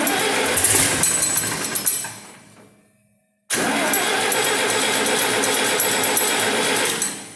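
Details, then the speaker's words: Farmall 706 tractor, IHC C263 engine, just fitted with a Steiner spin-on oil filter adapter (IHS3934), oil drained: cranks loudly, cuts out, cranks again without settling into an even run; owner thinks it might need choking. Hard starting. "Might need to choke her a bit."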